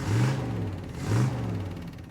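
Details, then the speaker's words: 1977 Dodge Adventurer 318 V8, first run in about two years, new carburetor and fuel line fed directly to fuel pump: two clean rev blips, deep even exhaust note, no misses or knocks; owner thinks it runs slightly lean. "yeah that sounds good just a 318 engine"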